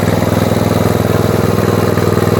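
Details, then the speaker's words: Tecumseh-engined Snow King snowblower after summer storage, before plug change: even, quick thumping beat with a steady low drone and no misses or knocks, pulling the auger smoothly; normal running under load. "Heat. Heat. Auger works well."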